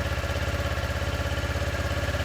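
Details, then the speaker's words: Motorcycle, in neutral, during starter relay/solenoid troubleshooting with a voltmeter. It starts up and idles with quick, even thumping pulses and no misses or knocks, so it runs normally. "see there we go so she starts up she has power now"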